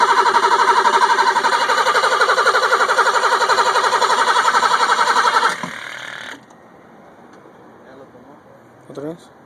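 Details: 1985 BMW 735i that suddenly stopped starting; owner finds no spark at the plugs. Starter cranks the engine at a steady even beat, about four strokes a second, but it never catches: crank, no start, cause unconfirmed.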